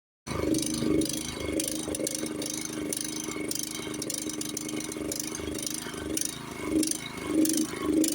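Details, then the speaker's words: Honda snowblower small petrol engine surging, speed rising and falling while hunting for fuel; common after long storage, fix may need carburetor cleaning. "does your Honda sound like that if it does it's surging looking for gas hunting for gas"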